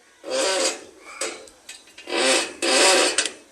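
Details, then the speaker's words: Bicycle ridden after rain: rasping scraping bursts as the wheel turns, a rubbing brake, suspected due to not being ridden; everything else is fine. "না চালানোর কারণে হচ্ছে এই যে ব্রেকে এরকম শব্দ হয় যাই হোক গাইস সবকিছুই ঠিক আছে শুধু হচ্ছে এইটুকু সমস্যা"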